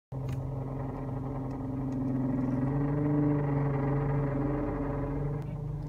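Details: Toyota Camry with idling engine, steering turned; steady low whine that swells when turning; power steering fluid below MIN, fixed by adding ATF; power steering pump whine from low fluid.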